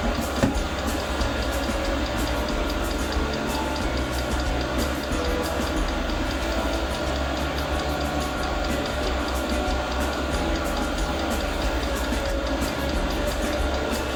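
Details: Newly mounted portable all-in-one diesel air heater, first start at maximum power, about 40 seconds in: rapid, regular sharp fuel pump ticks over a steady fan rumble while the heater tries to light. This first ignition ultimately fails.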